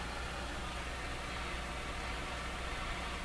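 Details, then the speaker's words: Small transistor radio tuned to 11 MHz with a clip-lead wire antenna: flat, even, unvarying hiss with no tone or rhythm; too consistent for atmospheric noise, likely the radio's own noise floor, uncertain. "so i think this is atmospheric noise but it just doesn't have the right characteristics it's too it's too consistent but so perhaps perhaps the noise floor of this radio is what we're hearing"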